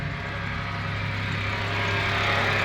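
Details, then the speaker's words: VW Mk6 Jetta 2.5L after fresh engine and 02Q six-speed swap, idled overnight: thin high squeak over steady idle, rising slightly with revs; belt squeaking on the aftermarket Boost Brothers lip pulley, a known recurring issue. "The uh Boost Brothers lip pulley keeps [ __ ] squeaking, pissing me off. Ain't nothing new though."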